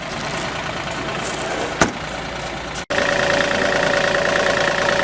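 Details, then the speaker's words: 2015 Caterpillar 303.5E CR mini excavator diesel, 3,529 hours, milder day: steady, even idle with light regular clatter, no misses or hunting, no leaks or blow-by; noise only when starting in the cold. Sounds good, smooth running. "sounds good, smooth running outfit."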